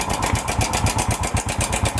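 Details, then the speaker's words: Motorcycle idling with steady metallic clatter about six times a second; cam chain tensioner confirmed as cause, weak tensioner spring. "Ayun confirm tensioner. Confirm guys tensioner."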